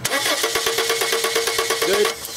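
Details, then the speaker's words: 1995 Subaru Legacy 2.2 with no-spark no-start, cranking while test light checks each waste-spark coil: starter whirs with even compression beats, engine never fires; neither coil firing, traced to a faulty igniter, which was replaced. "with no spark from either coil on this side there's no reason to check the other side because they're way spark and each one of them not firing indicates the coil is not firing at all"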